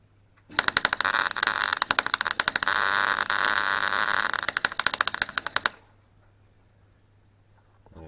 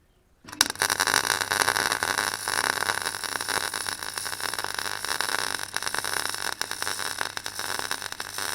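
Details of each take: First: Clarke Pro 90 MIG welder, beginner's first welds on an Astra rebuild, after raising wire speed: harsh crackling arc with irregular loud pops and spits instead of a smooth fry; welder suspects gas, not confirmed; lower wire speed later helped. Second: Clarke Pro 90 MIG welder, a beginner's first welds: an even, continuous sizzling crackle with no pops or gaps. The puddle is easy to control, the sound is consistent and the weld penetrates through the back, a good sign.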